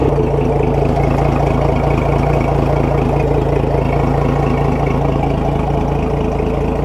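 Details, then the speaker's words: Outboard engine on a flush attachment, just under 20 percent leak-down, idling with a slightly uneven, stuttering beat: a mild misfire from a blown head gasket, with a hole into the adapter plate. "if you listen to it you can hear it's got a little bit of a misfire almost it's like a little stutter"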